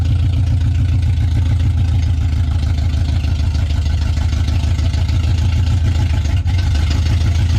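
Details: Truck started and backed up about 40 feet under its own power for first time, cooling well; deep steady low rumble, even unbroken beat, no knocks or ticks — normal running.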